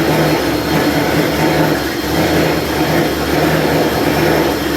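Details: Freshly rebuilt truck engine, first start with the radiator filled and bled: steady, even roar with a smooth low rumble and no knocking or ticking; the engine runs healthy.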